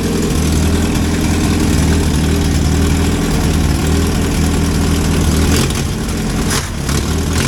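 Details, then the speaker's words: 1963 Hillman Super Minx just started after cooling system and rebuilt fuel pump installation, warming up cold without choke: deep, steady idle with an even low thrum and no stumbling or misfires; some handling noise near the end. "now I'll let it warm up for a few minutes they're not running without a choke or anything"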